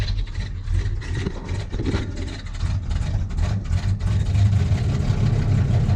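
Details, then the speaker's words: 1979 Chevy K10 cold start below freezing, hood open: deep, lumpy cold idle that stumbles and rises after throttle blips to clear it out; engine loading up because the choke is not set. "clear it out because it's loading up now when you're trying to listen to see if the trucks loading up and that blower motor is making all those noises i had to open the door"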